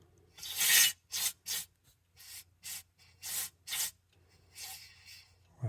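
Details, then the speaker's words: Ford 641 tractor: air from nozzle on the high-pressure hydraulic line hisses out in short bursts inside the rear of the transmission, confirming a holed hydraulic pressure tube to be removed. "it's definitely air coming out of the in the transmission so it's definitely got a whole"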